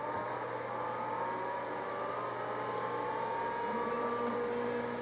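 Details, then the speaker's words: Vintage Tandy 3000 HL AT-clone PC powering on: faint whir with thin high tone settling in, drive seeking and beep, smooth with no knocks or scraping; hard drive spinning up normally. "and you can hear it working doing a drive seek be [Music] beep"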